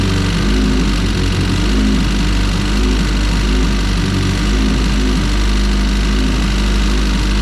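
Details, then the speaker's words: EF hatch with all-motor LSV engine on E85, after fitting new spring-type LMAs and a valve adjustment: steady idle with a light, persistent rattling knock from the head; the noise remains unchanged and its cause is unknown. "Well, that doesn't sound like it changed at all. I don't know, dude. I really don't. This is like really upsetting me because we changed the LMAs, which I thought was the issue. We also did the valve adjustment, and the noise is still there and is still persistent."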